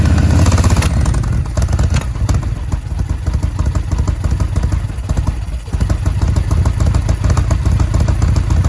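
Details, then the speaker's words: 2005 Yamaha Road Star 1700 V-twin, first start after about five years sitting, new battery, enrichment cable seized; deep loose rumble that stumbles and sags briefly then recovers: rough running with hiccups. "we're gonna start it again it sounded like it had some hiccups"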